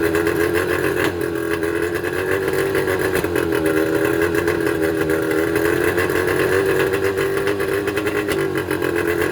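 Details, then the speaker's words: Mercury 25 HP two-stroke outboard idling unevenly, buzzy note wavering and stumbling and coughing, from damaged reed valves. "you'd be amazed that you wouldn't think that these two little pieces of metal is what makes the motor run so rough but these are the valves for the two strokes"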